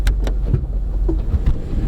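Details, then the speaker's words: Power sliding door that didn't work until its "power door off" button was switched back on: a low motor hum with soft clunks as the latch releases and the door rolls open and closed; operating normally. "Check it out, it works now. It opened. Push it again. And it closed."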